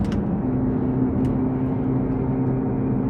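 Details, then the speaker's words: Mercedes AMG 6.2-liter naturally aspirated V8 on the dyno under load at constant speed; steady howling, humming drone from the front end that stops when steering left; front left wheel bearing found bad; wheel bearing howl. "this is the noise that we're hearing it's kind of a howling humming noise it sounds like it's coming from the front end"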